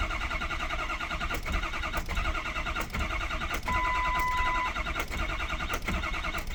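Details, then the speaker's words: 2003 Ford 6.0 diesel: steady rapid cranking with even rhythm and no firing; turns over but never starts, with odd electrical noises and oil pressure building. "Ford 6.0 2003 crank no start. Um weird kind of electrical [Music] noises. Builds oil pressure."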